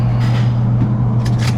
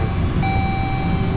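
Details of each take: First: Engine idling in the shop: steady low idle with sharp, uneven knocks cutting through now and then; disconcerting engine knock at idle, source not yet identified. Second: Vehicle with about 126,000 miles, engine started after repair work, radiator not yet installed: short, steady, even idle with a smooth low rumble and no knocks or misses; it runs better than before.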